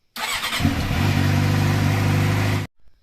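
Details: Suzuki GSXR with a cheap eBay ignition key switch fitted without solder to fix a no-start: the starter whirs briefly, then the engine catches cleanly and holds a steady, even idle before being switched off. Normal start.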